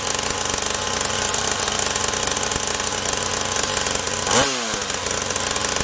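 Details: SYX MOTO Holeshot 50cc two-stroke after carb replacement, idle screw turned in further while tuning (idle-only carb, idle circuit possibly clogged): fast buzzy note holding steady, brief rev change, settling back; runs and idles properly.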